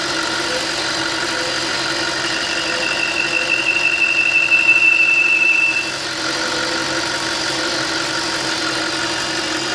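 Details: Audi RS4 4.2L FSI V8, warm start at idle: thin high whistle over the engine from a badly leaking right-side crankcase breather valve; emission light may come on.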